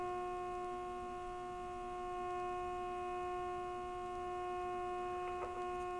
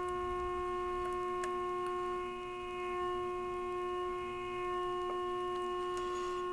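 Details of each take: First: RCA 262 tube radio on the bench after replacing a burnt 1K resistor, during IF alignment for loudest output with an injected modulated tone: a steady pure tone with faint hum from the speaker, briefly sounding weird while adjusting. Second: RCA 262 tube radio on the bench after replacing a burnt 1K resistor, during IF transformer alignment with an injected tone: a clean, steady tone near 350 Hz with overtones holds level; IF peaked and stable.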